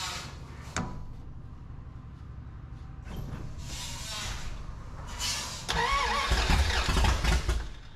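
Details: 1981 Dodge D150 cranks but won't start: uneven starter cranking with a few weak sputters that never catch to idle. Spark present, little gas in tank due to leaking fill hose; owner suspects fuel not reaching carb and choke problems.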